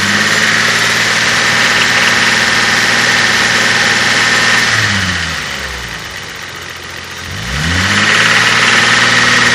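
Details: Toyota 5M-GE inline-six idling and revving: quick, even ticking that tracks engine speed; owner unsure whether lifters, knock or piston slap; engine ticking noise.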